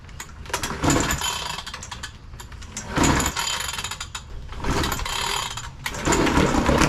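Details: Hangkai 3.6 hp two-stroke outboard, new, first-ever start in water: small buzzing note uneven as throttle is blipped up and down, rough but running.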